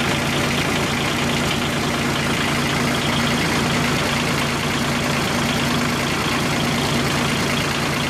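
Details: Kubota G1800 tractor three-cylinder diesel, rebuilt engine back in tractor after about 2 hours mowing: steady even clatter at fast idle, no knocks or misses; running good.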